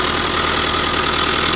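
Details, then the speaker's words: 2005 Subaru Forester, 100,000 miles, after an incorrect prior timing belt job: at idle a fast, steady metallic chatter and whir over the engine, traced with a probe to inside the timing belt cover; tensioner or idler pulley bearing suspected. "It's inside the timing belt cover. So, what they tell you, the timing belt tensioner or an idler pulley or something inside of there is making all this noise."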